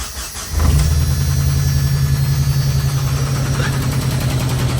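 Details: Jeep engine, owner unsure if ticking or knocking (top or bottom end, bad lifter?), cranks and catches, then a rough, uneven knock under the idle rumble; a spare motor is on hand.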